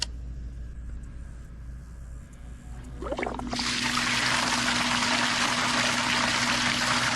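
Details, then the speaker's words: Zoeller M53 Mighty-Mate sump pump (rated 40–60 gallons per minute) powered by a 1000 W inverter on a 100 Ah marine battery, running normally: a steady motor drone with gushing water, moving about 30 gallons in under a minute. "look how fast that water comes out this is a full powered pump that's like 30 gallons in less than a minute"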